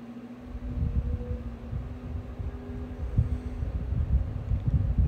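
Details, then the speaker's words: Opolar 10-inch desk fan (rebranded Woozoo, about 2017–2018, shaded-pole not PSC motor) starting on high speed: rushing air builds with a faint low hum; normal startup, though owner notes it has developed a rattle. "has a pretty cool startup sound now i don't have a psc motor it has a shitty pull motor but it still has a start sound and a wind"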